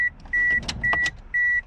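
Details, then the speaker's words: 2002 Toyota RAV4 (replaced engine) cabin during HVAC dash-vent airflow troubleshooting: regular high-pitched beeps about two per second, unchanging; door-ajar warning chime because a door is open. "So, goodness, it's annoying beeping, because there's a door open."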